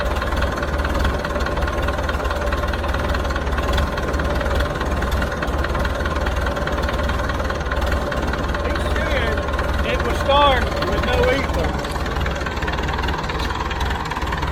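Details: Hesston 620 swather diesel after sitting about 10 years, started without ether; low, steady idle rumble with even firing and no knocks or stumbles, running healthy.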